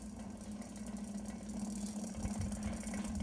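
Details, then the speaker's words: Early-1980s 52" FASCO first-generation Charleston ceiling fan on medium: constant low steady hum with buzzy vibration through the switch housing; owner suspects motor shaft/flywheel, light kit fully tightened, bearing chatter audible, bearings may need oil or replacement. "that humming noise you're hearing is the banana fam"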